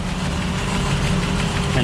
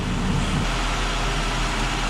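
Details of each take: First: 2005 Ford Escape 3.0 V6 running very rough with no misfire codes stored; lumpy shaking idle with irregular low thuds, misfire traced to the rear bank under the intake manifold, cylinder 3 coil unplugging made no difference. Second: 2005 Ford Escape 3.0 V6 after fixing misfire by replacing bad number three and number one ignition coils under rear intake manifold: steady, even idle with smooth firing rhythm, no stumble, running cleanly.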